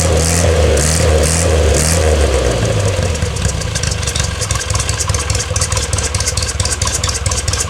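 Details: 1962 Austin-Healey Sprite Mk2, 948 cc four-cylinder, first start in over 40 years: it revs up cleanly, then drops back to a fairly steady idle with light valvetrain clatter and no knock or misfire. Normal running.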